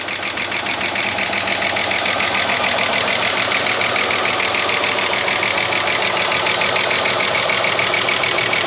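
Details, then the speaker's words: 30-year-old Ford Falcon revived from a paddock, first start, not yet warmed up. A fast light chatter of about two ticks a second rides over a rough, galloping idle. Suspected stuck lifter, possibly also a cylinder down. "It could just be a stuck lifter. She's a cylinder down too by the sound of it."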